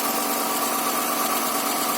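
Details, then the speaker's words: Honda Accord V6 idling after its first start following rear main seal replacement. Owner calls it kind of quiet and lets it run a few minutes; an oil leak is later found near the torque converter area. Even hum, light hiss, no tapping; normal idle. "rest everything's looking good it's kind of quiet so I'll let it run for a few minutes to see how it does"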